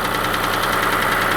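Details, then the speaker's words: Engine at idle before adding Lucas heavy-duty oil stabilizer: a tick on cold start gives way to a steady, dull, fast knock at a constant rate. The cause of this internal engine knock is unknown. "so when it cold starts it's got kind of a Ticky sound then that stops and then goes more of a knocky"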